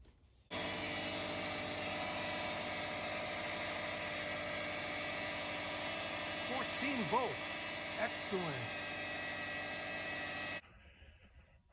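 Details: 2006 Subaru Forester after alternator replacement, previously dead battery: steady, even idle with a smooth unchanging hum and no knocks or squeals; engine running healthy and charging properly, checked with voltmeter.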